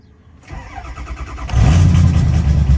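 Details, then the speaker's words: Diesel truck sitting a couple of weeks, cold start around 19 degrees after glow plugs warm: starter cranks about a second, catches immediately, settles into steady even clatter, slightly smoky; healthy. "Oh yeah, like a champ. She's cold, of course. Might take a minute."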